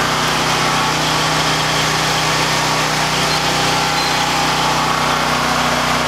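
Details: Harbor Freight Predator 9000 W generator at about 3,500–4,000 W house load as the big garage door opener runs: steady, even hum with constant pitch, no hunting or surging; carrying load fine.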